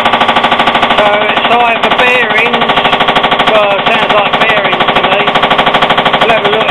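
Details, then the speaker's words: Hotpoint washing machine at about 500 rpm spin: hard, fast pounding about two knocks a second, loud and relentless; drum knocking on spin, possibly unbalanced load, cracked concrete weight, loose nuts or pulley. "yeah our washing machines developed a bit of a knock-on speed from the over 500"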